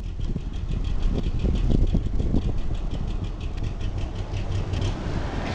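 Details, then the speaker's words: Used Kawasaki Ninja 250R twin inspected for purchase: idle pulses come uneven and stumbling at roughly two per second instead of a steady beat; something not right, cause undetermined. "Something's not jiving there."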